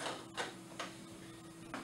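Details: Anesthesia gas machine check, APL valve being turned toward 70 for circuit pressure leak test: quiet room, faint steady hum, a few sharp dry clicks as it nears 70; normal APL valve detent clicking.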